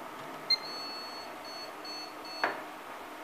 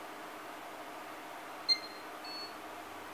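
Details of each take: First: ASUS P8H61-M LX motherboard on bench power-up with VGA cable and beeper fitted, BIOS chip refitted; a few short high beeps, sounds like it will start but no video; corrupted BIOS, BIOS chip to be replaced. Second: ASUS P8H61-M LX motherboard after BIOS chip replacement, no CMOS battery fitted: two short beeps and it powers on, normal startup; both identical boards' faults were the BIOS.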